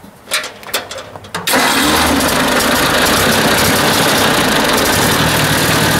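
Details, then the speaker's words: Ford 800 tractor that ran well, then began acting up after a ride; a spark check shows weak spark and the owner suspects the points: cranks, catches, then a rough, uneven beat about 3.5 pulses a second, like a dropped cylinder; misfire. "it was running good and then just started doing that i don't know why it's like something's missing maybe i do those points again"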